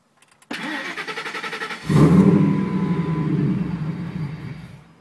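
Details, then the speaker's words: 2001 Ford SVT Lightning cranks evenly, catches with a loud burst, runs rough a few seconds and dies; fuel pressure drops to zero and vacuum falls from about 20–25 inHg right after start; filter, pumps, relays, hoses replaced, IAC cleaned, stock MAF tried; cause unknown. "it looks like there's 25 20 pounds of vacuum at start and then immediately the fuel pressure drops and the vacuum drops and the engine stalls"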